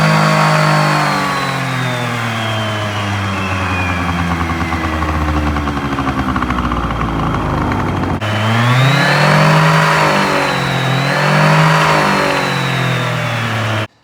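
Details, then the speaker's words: Honda Dio Elite 50 (AF16/AF18) two-stroke after ZX transmission swap with TFC variator, first start to check long belt fit: idles then revs up and down smoothly, pitch tracking throttle cleanly; normal running. "so we're going to put everything on start it up and see how that belt fits in there"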